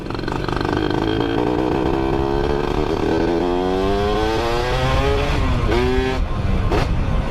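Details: Suzuki Satria two-stroke engine revving up and down on the stand, ported, with a dry clatter under the pitch from the clutch side; loose primary gear mesh backlash rattle, slight piston noise also noted.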